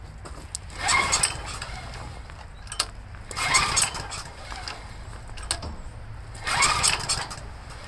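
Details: Homelite 389cc generator, rarely used standby unit with a carburetor leak and a history of dirty carburetors (cleaned 3–4 years ago); fuel on, on choke, three pull-start attempts each give a brief raspy cough that never catches; very hard starting.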